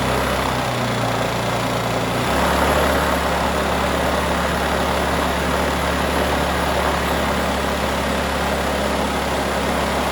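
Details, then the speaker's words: New 79cc two-stroke bike kit engine, run on the bench with a bike muffler and air cleaner fitted: it holds a steady, fast, busy buzzing idle that settles slightly lower. These engines won't start on low idle, so the idle is set high, then adjusted down. "all right fellas now you can turn this idle down to where it sounds more like you're just uh thumping along uh at an idol i mean for just for it just sitting but it won't start up with it on low idol so these are notorious that you got to have a high idle and then you have to adjust it"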